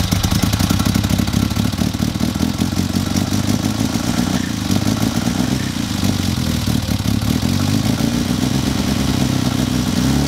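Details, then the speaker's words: Classic Mini during a tune-up, idling. A lumpy, uneven idle with a light rapid tapping. Ignition timing is suspected, with a hope it is not a cylinder problem and spark plugs to be checked first: rough idle with tapping. "It's a bit lumpy. I reckon it's probably going to do with timing off your leg."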